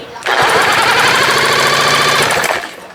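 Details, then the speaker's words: 1971 Johnson 20 hp outboard, compression test by pull-start: quick, even train of compression pulses with no hiss or skipped strokes; top cylinder reads 140 psi and bottom matches, so compression is healthy. "it's way over 120 it's 140 wow now if the bottom matches me good shape 140"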